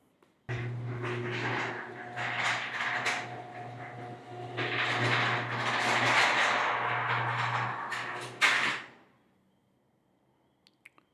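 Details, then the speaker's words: Old chain-drive garage door opener closing the door, measured at a little over 60 dB: steady motor hum under loose chain clatter for about eight seconds, then it stops; noisy opener, later replaced. "All right, so that one was going a little bit over 60 or so closing."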